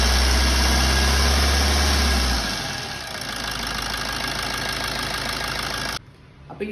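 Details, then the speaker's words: Diesel engine idling smoothly and evenly after timing chain replacement, with no chain rattle from the timing side; the old chain was very loose at about 180,000 km, causing long cranking and loud noise. "Chain മാറിയതിനുശേഷം ഉള്ള ഒരു sound"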